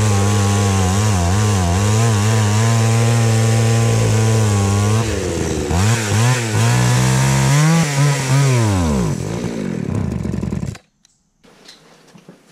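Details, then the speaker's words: Craftsman 3.7/Poulan 3700 chainsaw, unused for years: revs surge and sag unevenly, then bog and cut out, needing the choke repeatedly; stalling, with the fuel line later found cracked and needing replacement. "right so this one here we were just trying to run it and it kept stalling out you had to keep pulling the choke but it wasn't really our cable so let's see if we can get it running a little better"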